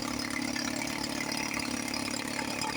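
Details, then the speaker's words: 1954 Johnson 5.5 HP two-stroke outboard, running after about 60 years, after magneto reinstall, with water running: steady even buzzing idle with no popping or hunting; running cleanly and sounding healthy. "Wow, she sounds really good. I just adjust the low speed."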